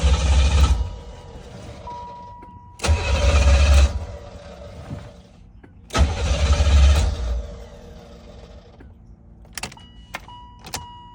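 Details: 1985 Chevrolet C4 Corvette, 250k miles, long-sitting with bad old fuel drained and fuel pump replaced: three roughly one-second cranking bursts, starter spinning evenly, engine never fires; starter fluid planned next; crank no-start, cause unconfirmed.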